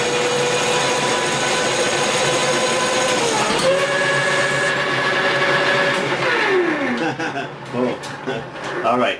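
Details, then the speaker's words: Lathe taking a heavy facing cut at 70 after 60, using a hand-ground brazed tool bit with extra relief: the steady motor whine sags and drops in pitch under load. The motor is bogging and nearly stalling. "Now, you can hear that it's it's almost stalling it out just like I did with the 50,000 with the insert."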